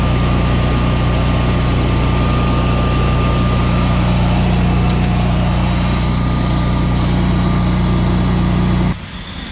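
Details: Generac Evolution 2 16 kW standby generator, after replacing the Wi-Fi control panel, run in manual: constant deep, even drone at steady speed with no misses or knocks until shut off; running healthy.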